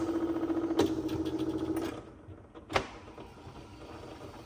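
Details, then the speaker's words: 1966 Sony TC-250 reel-to-reel tape recorder rewinding: quick, fairly even rattle over a steady whir, then winding down; the drive belt was found broken and needs replacing. "yeah. I can hear that thing. It's rattling."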